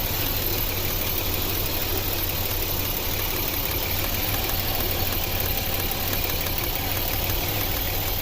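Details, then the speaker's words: 2007 Chevrolet Equinox 3.4L AWD, overheating and driven a week, idling at 190° with P0300 random misfire code: rough uneven idle, irregular stumble, shaking. Arcing suspected; misfire cause unconfirmed. "So guys, the car just started misfiring. I don't know if you see that. And we went in, I don't know if it said it before, but it's overload fault. You can feel it shaking."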